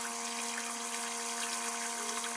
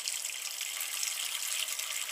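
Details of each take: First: Old toilet cistern refilling after flush: steady buzzing whine at one pitch over hissing water; fill (push) valve that stops flow as water rises is worn out, to be replaced. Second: Old toilet cistern refilling after fill valve replacement: soft, even hiss of water filling the tank with no groaning, humming or foghorn noise, float rising and shutting off; the fill valve works quietly.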